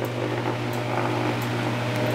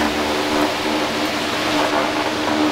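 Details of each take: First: Fan motor (new condenser/blower type) simulated shorted run capacitor, both capacitor wires on one terminal: starts but runs much slower with steady low hum and laboured fan sound, heavily overloaded on amps, would overheat; shorted run capacitor. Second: New fan motor, open-mounted with no enclosure, normal startup: quick, quiet start settling into a steady even hum with propeller airflow noise, no rumble or growl; slight noise likely from the support bracket; healthy start.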